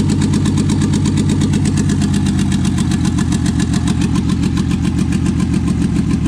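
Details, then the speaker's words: Toyota 2JZ swapped into a 4Runner, first start: fast idle around 1900 rpm with a choppy, uneven beat and missing pulses; misfires later traced to injector adapter connectors not making full contact. No leaks. "sounds like it's got a [Music] [Music] misfire running [Music] [Music] 1900 RPMs no leaks no fire [Music]"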